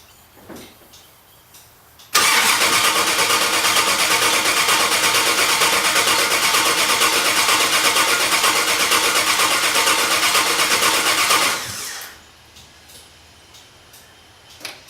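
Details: Engine cranks evenly about nine seconds but never fires; fuses look fine, owner thinks fuel pump not running; later found no fuel getting to the engine because of a loose wire at the fuel pump.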